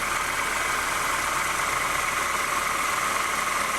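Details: 2008 Honda New Civic, cold, at low revs, accessory belt tensioner already replaced twice; constant bearing-like whirring whine that does not diminish, traced with a stethoscope to a worn power steering pump bearing.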